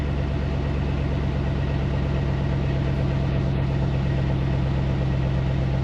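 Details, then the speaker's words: High-mile 21-year-old GMT800 Chevy Silverado/GMC Sierra 1500 V8 with used long-tube headers just fitted: deep, even exhaust rumble at steady idle, regular pulses, no knocks or ticks; sounds good. "This thing sounds good. Yeah, I am a fan. Yep. I am a fan."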